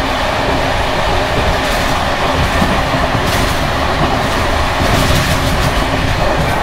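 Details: Bd264 481 coach (built 1979), Görlitz V bogies with many kilometres since last major maintenance, evening express on rough line 190 near Hluboká nad Vltavou–Číčenice, heard from compartment or open window: loud rumble and roar with busy rattling clatter over wheel beat; loose worn brake rigging bouncing.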